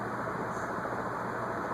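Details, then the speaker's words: Envirofan Gold Line industrial ceiling fan, model 160F-7, c.1985: steady even air rush with no grinding or squeal; dry bearing noise now gone, normal running. "And we got rid of the bearing noise, too. Yeah. No wet bearing noise, but we got rid of the dry bearing noise."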